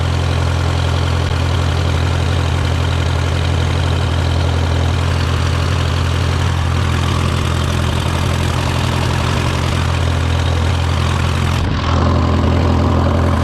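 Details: Case VAC tractor at idle after a new aftermarket water pump replaced the one that let it climb to 80°C after a coolant change; gauge now near its normal 35–40°C. Deep, steady low rumble with an even beat, no knocks, rattles or squeals; healthy.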